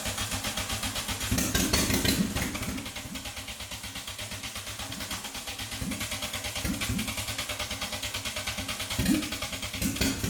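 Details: MK2 VW Golf GTI rebuilt engine, first start after 10 years, cranked with van running as battery support: steady starter grinding, engine catches briefly twice then dies, won't idle; owner suspects distributor/cap timing; oil pressure light flashing.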